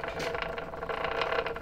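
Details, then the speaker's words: 1985 Honda ATC 70 with swapped Piranha 140cc 4-speed engine, running: continuous fast ratchety rattle that stops when the chain tensioner is loosened, so the tensioner is the noise. "all right looks like i'm redoing that so we loosened the tensioner and it looks like it just makes that noise which is really disappointing once i take the tensioner loose it doesn't make the noise anymore so it is the indeed the tensioner"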